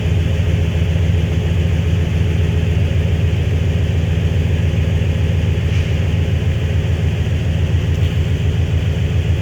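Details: High-mileage flatbed truck, first short startup of a replacement 5.9 Magnum V8, not revved yet: a steady, even low rumble at about three to four beats per second with no knocks or misses. Good oil pressure, no check engine light.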